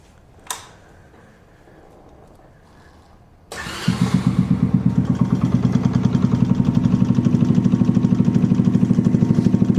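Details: Small-capacity single-cylinder motorbike started during a no-start diagnosis with a voltmeter on the battery: 12.58 V before starting, nearly 15 V charging after; fires after a quiet pause and settles into a steady, even putter about three beats a second; healthy idle.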